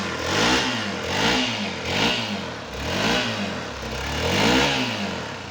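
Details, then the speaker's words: Hero Xpulse motorcycle engine after the sound-problem repair, fresh oil added; revs rise and fall in smooth blips about once a second, clean and even with no knock or rattle, running normally. "र अब हामी साउन्ड सुन्नु है त, हाम्रो बाइक चाहिँ ठिक भयो कि भएन भनेर हेर्छु, सुन्नुहोस् है त।"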